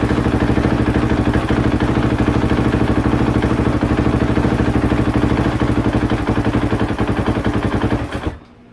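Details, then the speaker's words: 2015 KTM 450 SXF that would not start, now running: while idling, the throttle body idle adjustment is turned outward and its thumping firing slows, turns uneven and then stalls. "see how the idle lowered and it died"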